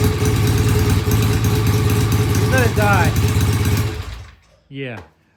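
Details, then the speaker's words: Vintage British single-cylinder motorcycle that the client couldn't start, now started; uneven, hunting thump that dies when the throttle closes and won't idle; needs carburettor pilot jet cleaning and idle adjustment. "it won't idle let's start it again just see if I'm warming up long enough to let it idle doesn't sound good sounds uneven"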